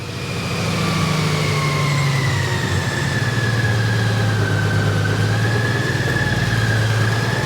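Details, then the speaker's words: Honda Goldwing DCT, which had a fail-to-start problem and now has a check engine light, starting up for a test ride. A steady low drone settles to an even idle with no knocks or misses; normal idle. "I'mma just pull the switch. The bike is cranking up."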